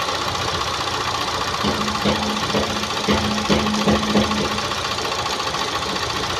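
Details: Ford EcoSport with a camshaft correlation code, and the camshaft needs retiming: uneven idle with irregular knocks and a faint tone coming and going. Camshaft timing misalignment.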